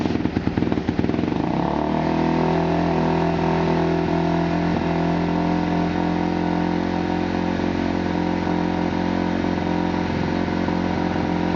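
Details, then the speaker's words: Kawasaki KX250F race bike with Vortex X10 ECU set to map 2-3-3 (cleanest setting; stock map one floods it): starts at once, settles into a crisp, steady idle with even exhaust beat, no stumbles or rattles; runs clean, normal idle. "this is my race bike right here and this is exactly how it runs when I fire it up and it runs amazing here I'll start it up for you guys so you can see it sounds good"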